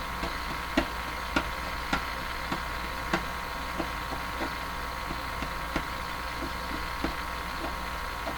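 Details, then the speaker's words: Westinghouse 5T121R-2 clock radio during final alignment: irregular crackling pops, one or two a second, over a steady hum give garbled output. It gets worse when touched. Owner wonders whether the isolation transformer is the cause; still unknown. "garbly sort of sound is still there. I thought I got rid of that."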